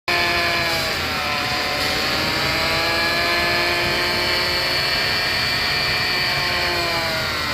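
A steady high-pitched whine with several layered tones rides over road noise while driving at low speed. Cause suspected, not confirmed.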